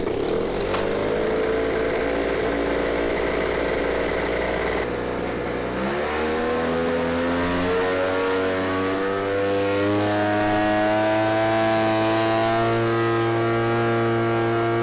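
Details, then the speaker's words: Ryobi RY38BP two-stroke backpack blower, bought Sept 2019 (under 2 years old), run on Ethanol Shield mixed fuel with no maintenance, idles then throttles up slowly to a flat, strained pitch; bogs at full throttle. Owner suspects air filter, fuel filter or carb adjustment. "So it didn't sound too hot. The high rev, I mean, it doesn't power up all the way like it used to. It sounds like it's kind of bogged down."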